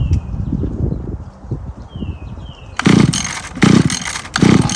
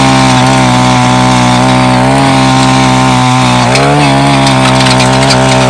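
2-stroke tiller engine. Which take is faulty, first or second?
first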